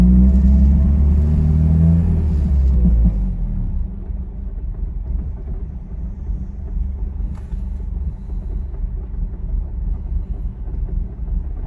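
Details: 2002 Ford Focus SVT rough idle with a low, uneven, loping rumble after revs drop. After warming up about 15 minutes it tends to die unless the gas is pressed, despite new fuel pump, filter, injectors, plugs, wires, MAF, PCV valve and hose, IACV, O2 sensors and a cleaned throttle body.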